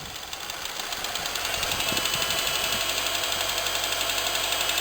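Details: Honda K20A held near 1,500 rpm: a sharp, regular knock about three times a second from inside the engine; cause not yet known.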